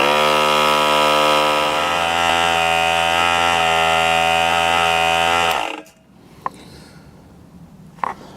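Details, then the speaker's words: Harbor Freight 3-gal 1/3 HP 100 PSI oil-free pancake compressor after teardown and reassembly. It previously couldn't pass 25 psi; now it runs loud with a steady hum, slowly reaching 45 psi in about 4.5 minutes, very hot, then cuts off. "how's about four and a half minutes in real time things getting loud they did get up to 45 psi this is really hot"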